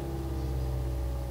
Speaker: Oh ya ini udah bisa lagi jadi gitu caranya temen-temen kalau akinya soak